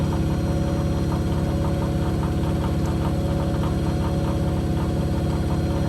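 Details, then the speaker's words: Blomberg RapidJET LWF194520QW 9 kg 1400 rpm washing machine during spin: rapid regular thumping, two or three a second, a knock each drum turn. The owner suspects cables on the side hitting the drum when the load is out of balance. "for some reason it also well makes up knocking there's like cables on the side or something on the side and whenever it spreads you're quite out of balance to like head against the drum"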